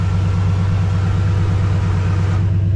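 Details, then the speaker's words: 1972 Ford F-100 Sport Custom idling with the AC compressor clutch engaged and spinning, vent air just over 40 degrees: deep, even low rumble with a steady pulse and no knocks. Engine and AC sound normal. "the clutch is working on the ac compressor it's spinning right now"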